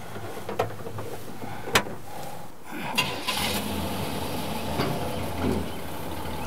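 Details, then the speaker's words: 1970 GMC Fleetside pickup, 350 V8 with Turbo 350 automatic, about 101,159 miles, running on the main tank: a few sharp knocks on starting, then a steady, even low idle with no misses; starts well, normal cold start and idle. "I'm running on the main tank, and of course you can see it starts real good."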